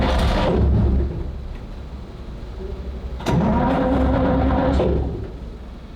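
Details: Saladin armored car with straight-eight petrol engine, out of gear: starter turns the big engine over in two long bursts with a rising whirr but it never fires; crank no start, starting fluid tried next.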